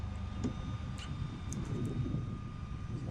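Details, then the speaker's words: 2021 Ford F-150 Hybrid engine running steadily under Pro Power Onboard 240V load while charging a Tesla at about 30 A / 7 kW, both circuits maxed at 3600 W; even drone with faint whine, no knocks; engine gets quieter when unplugged. "You're gonna be able to hear the difference in engine sound when I unplug"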